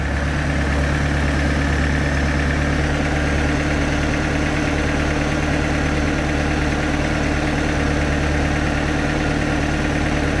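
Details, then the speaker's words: 3.0 liter MerCruiser 140 boat engine with new Sierra carburetor after mixture adjustment: steady, even low idle with no stumbles or surging, smoothed out. "right yeah now she's smoothed out give it a little gas"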